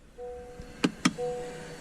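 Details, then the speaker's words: 2018–2023 Honda Accord with electric rear calipers, shifted into Park: short motor whine, two sharp clunks, another brief whine as the electric parking brake engages automatically, normal, which is why rear wheels won't turn when lifted. "you have the parking brake on did you hear that you go ee the brick your parking brake automatically comes on as soon as you put it to park"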